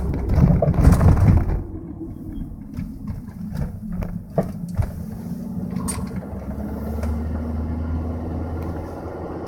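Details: 2003 VW Jetta 1.8T with 09A transmission: over road rumble, sharp, loud knocks come from the front end when turning right. A subtler knock also occurs over some bumps.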